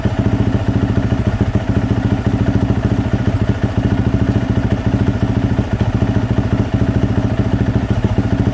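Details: 2024 Yamaha YZ450F after overheating that melted the plastic water spout, idling with drain bolt out while flushing coolant with water: even, quick firing beat near 170 pulses a minute with light mechanical clatter; steady, healthy idle.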